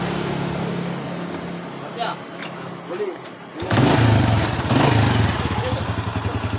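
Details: Honda Astrea motorcycle: quiet, smooth single-cylinder idle, then loud, rough, uneven chatter when throttled, with white smoke from the exhaust. Worn piston rings and cylinder bore.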